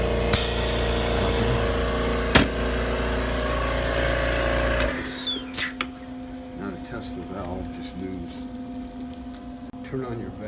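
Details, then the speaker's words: AMC-20 unit after waste tube and air valve solenoid replacement, test run with vacuum on: steady compressor drone with whistling tone dropping as it shuts off, then quieter hiss and valve clicks; vacuum sufficient, running normally. "Then you turn on the vacuum. Press the vacuum. Should be able to pull your arm from about that distance."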